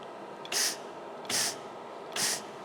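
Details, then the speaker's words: MIG/MAG welder with CO2 or mixed shielding gas, regulator just opened; three short, even quarter-second hisses as the trigger is pulled, steady healthy gas flow. "Okay, so we have some flow. It's good enough just to be open."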